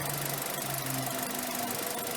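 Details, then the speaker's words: Mazda 6 2.0 petrol, just restarted after throttle body cleaning (previously erratic idle, high fuel use): even idle with a steady low hum and faint ticking, no hunting; ticking over better than expected. "well it started okay it's actually ticking over better than I thought"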